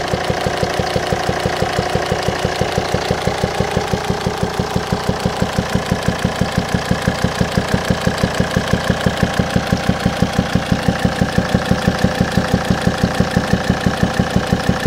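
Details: 2007 Volvo XC90 D5 diesel idling: sharp steady popping about three times a second through the intake air pipe to the turbo; owner suspects faulty swirl flaps or stuck/broken intake valve, not confirmed.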